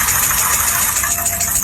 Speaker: today I will teach you how to judge engine failure by abnormal noise the engine is making abnormal knocking